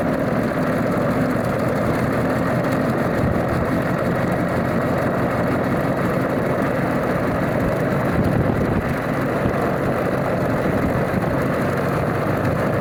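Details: Alvis Leonides Mk 25 radial engine in a Percival P.56 Provost trainer, settled after start-up: steady rumbling idle with a loose, even beat and no stumbles or misses, a healthy normal idle.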